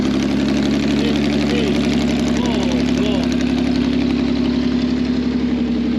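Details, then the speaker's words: Customer's 2 L V6 trike, very short exhaust with basically no silencers, after fuel pipes and air fitting reconnected: loud, raw, clean even beat rising and falling as it's blipped; revs normally, though the fuel pump is judged dodgy. "this sounds awesome in real life uh because You' got really short exhaust basically no silencers"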